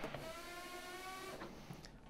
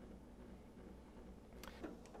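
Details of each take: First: Treadmill stomp test with machine running after belt alignment: belt stalled by foot while motor whine continues with light rubbing hiss; front roller slipping shows belt too loose, tension needs increasing. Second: Home treadmill running after alignment adjustment by half-turns; belt had tracked too far left and rubbed the side plastic trim, now a low even hum with no rubbing, quieter and centered.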